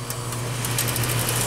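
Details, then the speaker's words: Bryant/Carrier heat pump outdoor condenser fan motor, wired directly to L1 240V bypassing the control board: steady low hum with light cabinet rattle, speed even, steam rising. Fan motor works; board not feeding ODF terminal. "there it goes it's turning you hear it see all the steam coming out that's what's supposed to happen"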